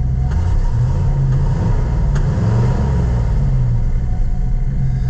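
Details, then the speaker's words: 534 cubic inch gas V8, cold day, started on choke, running strong since spark plugs were changed; deep even rumble with steady firing, no misses or knocks; air compressor behind firewall clicks; normal running. "listen to that Kitty purb friends got to build some air pressure the cold made her leak off she's running though like a screaming demon now since we changed those plugs"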